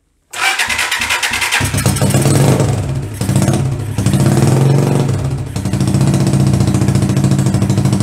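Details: Hard starting on a 125cc CCW Sinnis Heist hardtail chopper on a stand: starter churns, then the single catches and revs in uneven bursts, sagging and surging, unable to keep running on its own.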